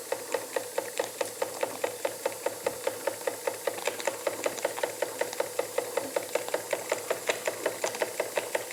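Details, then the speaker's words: Jensen Model 25 small steam engine, first run, running clockwise: sharp steady knock about two and a half times a second, once per turn, from crank main bearing, not the conrods or eccentric linkage; quieter running in reverse. "cut a bit of a knock it's coming from the main bearing on the crank it is not coming from any of The Conrads or The Eccentric linkage as I thought"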